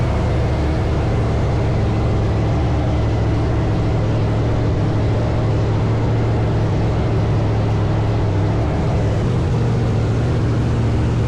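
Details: Blower V8 Pro Mod drag car idling after the burst panels were replaced and the blower refitted: deep, steady supercharged rumble holding an even idle with no stumble or hiss; normal idle.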